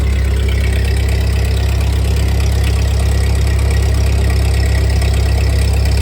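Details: 1948 Ford 8N tractor four-cylinder after a full rebuild, idling in neutral after a PTO check; new carburetor still needs fitting and adjustment: steady, even low thump at about four beats a second with no knocks or misses. Normal idle.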